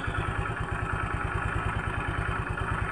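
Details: Automatic scooter CVT, cover open, after the damaged, jamming rear-pulley roller was dealt with: steady, even putter with no clacking or knock from the rear pulley/clutch area on gentle throttle; drive sounds smooth and healthy.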